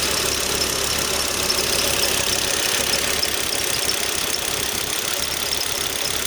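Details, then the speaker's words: Volvo XC90 T5 with intermittent misfire codes P0302 and P0305 and oil leaks: high, thin fast chirping over a quiet idle, owner hears squeaking from the auxiliary belt, cause unknown; belt squeak. "also i hear a squeaking noise coming from the uh from the auxiliary belt there i don't know what that could be anyway"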